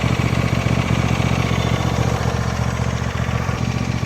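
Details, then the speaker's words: 2014 John Deere D130 riding mower after repairs: steady even low putter at idle, no whine or grind from hydrostatic transmission; engine and hydro drive smooth and healthy. "I don't hear any noise at all from the hydro on here. Nice and smooth."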